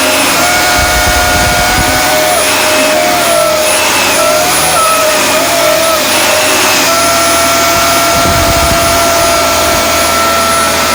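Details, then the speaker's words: Dyson DC24 All Floors vacuum: loud airy roar with a shrill, wavering whine near 650 Hz, because the dust canister is filled past the max line. "So that's how I can tell when the Dyson needs to be emptied, the canister."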